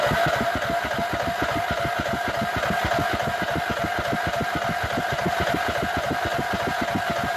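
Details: Nearly new lawnmower with only 10 hours that a service shop couldn't fix, choke off, everything disengaged, in neutral; steady rhythmic cranking at about three and a half compression pulses a second, nearly catching but never picking up. Hard starting, later traced to a mouse in the muffler.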